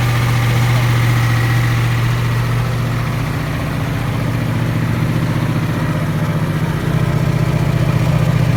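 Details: Ford 7.3 IDI diesel after top-end rebuild, started with ether and jerry-can fuel after 11 years sitting: steady low clatter at three to four beats per second, even and firm with no misses; normal idle.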